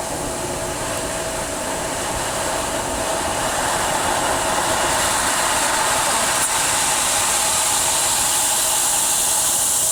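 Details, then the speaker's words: Pool booster pump (PV4SQ) motor running with a loud, steady whooshing roar and faint high hiss; owner earlier heard squeaking and suspects the pump, cause unclear. "Dad. I can hear the pump making the noise. It has a motor."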